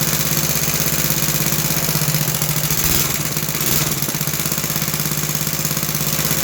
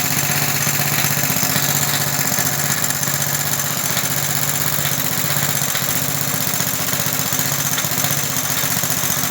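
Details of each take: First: Roughly 66-year-old 1960s English Suffolk single-cylinder engine after carb clean and new plug wire, started on choke: steady chuffing, even firing, no knocks or misses; runs healthy, apart from a rattle in the starting mechanism. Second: About 1960 English-made Suffolk single-cylinder engine running after carb clean and new plug wire; steady even beat with a light loose metallic rattle from the starting mechanism, though oil is in.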